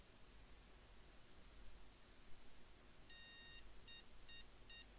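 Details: PC motherboard POST beeps on cold start in a quiet room, one long then three short, no picture; board only boots after holding the MEM OK! button, and needs this again after every power cycle.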